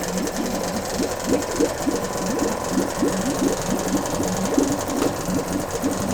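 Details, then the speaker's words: Two-stroke Yamaha 5 outboard, motor No. 2 of three, checked after No. 1 worked well; cooling water clean. Even, rapid popping beat with no misses or knocks; running smoothly and healthy. "The motor was checked and it works well. Now we will check motor No. 2. The water is clean."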